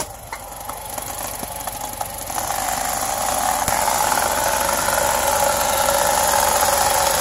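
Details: 2017 Honda Civic front end on jack stands, in gear with the wheels spinning. A steady high squeal rising with wheel speed over a faint tick, caused by the CV boot rubber rubbing on itself. Fixed by cleaning and lubricating the boots.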